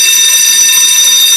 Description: Loud Fire Alarm bell going off. False Alarm , only a malfunctioning.